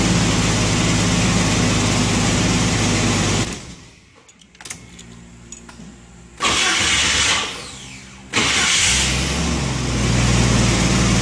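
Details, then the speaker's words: 1990 Jeep Wrangler 4.2L inline-six automatic, just after replacing a tired, intermittently screeching starter with a remanufactured unit: engine runs, cuts out, starter spins it over twice and it catches each time; even cranking, no screech. "only thing left to do really now is start it up sounds mean like it works okay"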